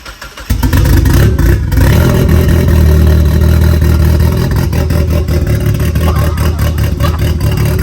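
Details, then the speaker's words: Turbo Miata at its first start: the engine catches and runs lumpy and uneven at idle, with a clear misfire. The plug wires are suspected but not confirmed. "It's misfiring pretty good. At least, yeah, that's a good start."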